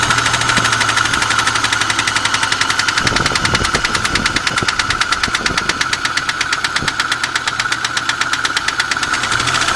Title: Engine knock